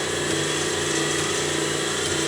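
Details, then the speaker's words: Superabrasives EX50 (Max Engineering) diamond/CBN wheel profile dresser and balancer, used grinding wheel spindle run low at about 50%, roughly 30 Hz: smooth steady high whir, no knocks, wobble or rubbing; normal spindle run. "like 50%, 30 hertz maybe. That's really flying now."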